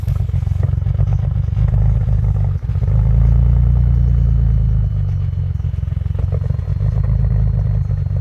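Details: 2001 Audi allroad with F21 turbos, base stage 3 file and 85 mm MAF, cold start at 15°F: low, lumpy idle that stumbles and surges unevenly; rough idle, cause not pinned down.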